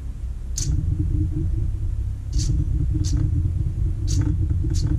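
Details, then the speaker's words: Old Holley electric fuel pump for V8 engines, bench-tested after rebuild: seized rotor freed, cleaned and lightly lubricated; steady low hum and even whir, no grinding or catching, pump now spins freely and sounds much better. "let's try and do a final test here that sounds much better"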